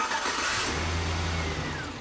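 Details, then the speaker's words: Car whose starter clicked for a week and then wouldn't crank, first start after starting-system repair with battery cable reconnected: fires at once, revs cleanly and settles, cold air intake sucking air audibly; starter working normally. "Man, it sounds great, and I never get tired of that air-raid cold air intake when it's sucking in the air. It's a great sound."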